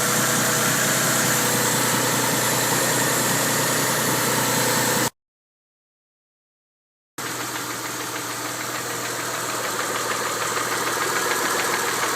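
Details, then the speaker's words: 1992 Mitsubishi 3000GT VR4 at warm idle after 8-9 minutes, after fuel filter and oil change: steady, even knock three to four times a second, with black smoke; timing belt slightly loose, knock seems near cylinder 6 by the oil filler cap, cause unconfirmed. "The knocking sound seems to have accompanied the smoke in the back. Okay, wow. We developed a lot of smoke out the back when we started the knocking sound."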